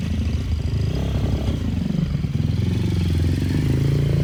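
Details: Brand-new 160 cc pit bike engine being prepped for track use: revs cleanly, pitch climbing toward the end, light buzzy rattle from a missing cover vibrating; engine fine, normal revving.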